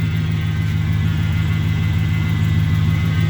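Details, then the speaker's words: Newly bought 1978 Chevy Silverado long bed at a deep V8 idle, first start at the new owner's, with a thin, steady whine from the power steering pump, which the owner plans to fix or replace. "only thing i gotta address is that power steering pump i don't know if you can hear it whining"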